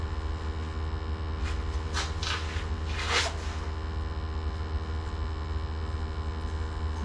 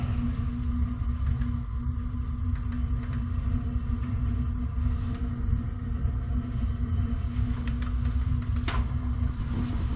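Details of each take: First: Gas water heater after its upside-down flue was corrected, burners lit during combustion and draft testing: low steady roar with even rumble, no popping or surging; heater firing cleanly, normal operation. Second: Gas water heater with poorly connected flue, second heater turned on: low steady burner roar with a rough fluttering rumble underneath; dirty burner suspected, sounds like it needs cleaning.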